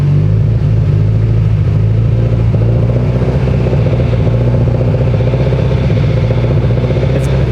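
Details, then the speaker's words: Freshly built Subaru STI engine at 80 miles, at 2000 rpm: a deep, fast, regular rod-knock-like knock. The left exhaust AVCS reading bounces erratically; owner blames a failing AVCS, not a rod knock. "we were cruising and then it started knocking like that i'm like hmm sick rod knock but it's actually not a rod knock it's the king abcs"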